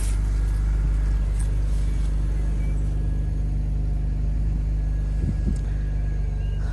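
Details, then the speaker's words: Long-abandoned BMW E46 325i Touring six-cylinder petrol, jump-started on low fuel: steady, even low rumble with no knocks, misses or whine; smooth, healthy idle. "Okay, there's not much petrol in it. It sounds so good."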